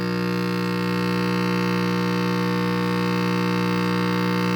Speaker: All the tubes are warming up. That's a good sign. I just have horrible hum, and that's the first guy I'm going after right there.